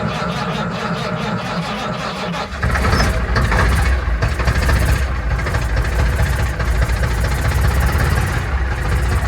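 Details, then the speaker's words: 1965 Mack B61 turbo Thermodyne diesel, after primer pumped and jump pack on weak battery: catches weakly then idles lumpy and uneven, oil pressure present; owner suspects it's not fully getting fuel. "got oil pressure that's a good sign running rough though doesn't seem like it fully has fuel"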